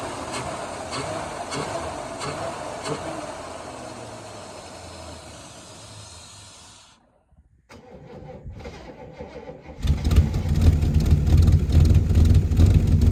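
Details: 1977 Holden HX Statesman Deville, 308 V8 with Turbo 400, sat about 20 years, primed with fuel: slow even cranking, a pause, then it catches and settles into a loud, deep, steady idle; normal start and idle.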